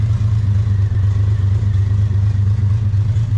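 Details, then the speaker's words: E46 M3 with freshly swapped 1.5JZ engine on first start: steady, deep drone with faint irregular clatter, AFR reading 13.8–14 (rich) after earlier readings of 25 and 17. "13.8, 14. So that's gonna be rich."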